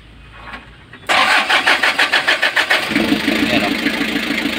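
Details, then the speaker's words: Kia KC2700 diesel, freshly overhauled, previously slow cranking and hard to start, now wired direct: quick, even cranking for about two seconds, then it catches and settles to steady idle; long crank but starts. "long cranking pero umaandar na. So dati is mabagal yung cranking ngayon mabilis siya."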